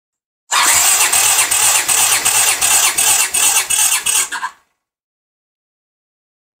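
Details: 1982 Honda GL500 (CX500-type) V-twin cranking during compression test, even starter cranking near three beats a second with matching pulses; 150 psi on both cylinders: normal cranking.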